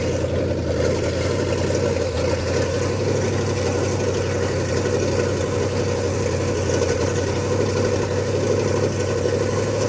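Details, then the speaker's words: Ford F100 with 302 V8 and Comp 268H cam during cam break-in, open headers, fast idle: busy ticking clatter through the exhaust; valve train knock because the valves were adjusted wrong, not a bad lifter as suspected. "At this point in time, what's happened with the truck, I'm sure you can hear it knocking. We had a lot of concerns It turned out we had just adjusted the valves wrong."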